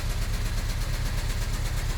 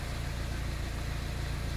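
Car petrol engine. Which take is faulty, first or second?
first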